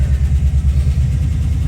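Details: Engine on a Holley Terminator X EFI system, first start after no-start diagnosis: it catches and settles into a smooth, even low rumble with no knocks or misses; normal idle.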